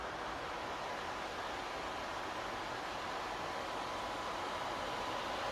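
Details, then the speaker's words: PS5 console fan ramped to maximum via an adjustable fan-speed controller after cleaning and cooling upgrades: loud, even jet-like rush of airflow, no rattle or tick; healthy but noisy at full speed, versus quiet at stock RPM. "there we go guys it's like a jet engine all right that's that ramped up to the Max and there is a massive massive significant amount of air coming off that it is going 10 to the Dozen"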